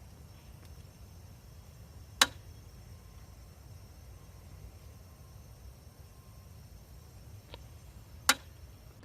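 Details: Residential gas meter with furnace running, sharp click about every 5–8 seconds (six on average) with the needle jolting each click, over a quiet hiss; faulty meter, to be rebuilt or replaced by gas company technician.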